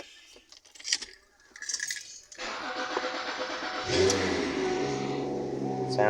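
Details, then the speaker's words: 2006 Lincoln MKX after engine and transmission installation, first start: cranks, catches and settles into a steady even idle with no knocks or misses; possibly a slight exhaust leak. "good maybe a little exhaust leak what say she sounds damn good oh yeah that's another good running one man"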